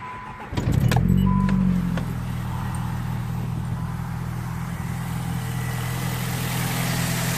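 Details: Alternator before-and-after comparison: engine catches, flares briefly, then settles into a steady, even idle with no whine or squeal; normal idle.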